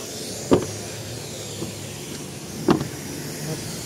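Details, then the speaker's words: Haval M6 door with a known common fault: two closing thuds, the door failing to latch on the first gentle close and needing a hard slam; the doors also creak. "Пока сильно не кинешь, она не закрывается. Вот даже сейчас попытался закрыть. Пока сильно не сделаешь, ничего не закрывается."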